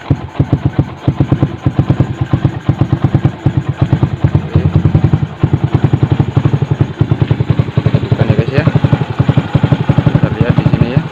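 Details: Yamaha Jupiter MX/Vixion single-cylinder after replacing the water pump seal and topping up radiator coolant: even, regular idle putter with no knocks, rattles or hunting; runs normally, coolant level not dropping, no leak.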